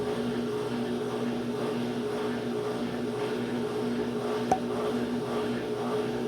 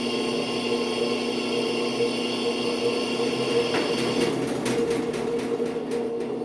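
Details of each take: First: Brastemp washing machine on spin: the motor hums with a rough, wavering rubbing tone, a loose motor pulley, likely fixed by tightening. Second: Brastemp washing machine after repair of a rubbing noise: steady, even motor hum with no rubbing or scraping; the fix was simply tightening the belt.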